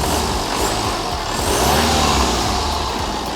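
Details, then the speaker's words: BMW 3 Series E90 320d diesel just after a DIY turbo replacement, revved by a helper while stationary: loud, clean rising roar with no rattles, clanks or odd turbo whistle; sounds healthy, normal revving. "no that's pretty good wa wa that's loud that sounds sweet that sounds really good"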